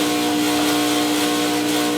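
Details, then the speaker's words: Vibiemme Electronic Super HX heat-exchanger espresso machine during backflush with detergent: loud steady high buzzing hum as the pump builds pressure, louder than normal before settling. "you hear a loud noise the pump generating pump pressure and then once it goes up to a certain pressure goes to a home normal for the pump"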